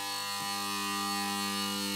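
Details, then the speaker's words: Mazda Esthelux 400 luminaire with a worn BF250 lamp whose arc tube is blackened: a loud, steady, rattly mains buzz, described as a pleasant purr. Laminations in the ballast core were deliberately loosened so they vibrate. "Le ronronnement il est vraiment sympa. Bon c'est assez fort mais j'aime bien."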